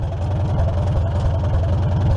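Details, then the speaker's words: 1947 Farmall M after belly pump service, idling as hydraulic hoses pressure up: steady low thumping, RPMs drop slightly under pump load but engine holds smoothly; everything working normally. "the RPMs drop when it loads up so that's good everything's working hopefully we don't have any leaks"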